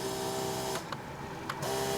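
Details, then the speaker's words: 1990 Ford Mustang GT 5.0 V8, 16,000 miles, stored in a barn for 30 years: the power lumbar seat pump gives a steady high electric whine that cuts out and restarts; it adjusts one way but not the other. ">> Does it work? >> It works. >> Does it do anything? Does it just make a um pump sound? >> It goes one way, but not the other."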